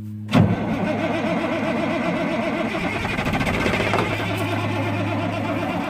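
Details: Freightliner FLD120 diesel truck, 397k miles, parked about 17 years, first start attempt with ether: starter churns with an uneven, labouring beat and a few ragged catches but never runs clean; cranks but won't start, air in fuel suspected.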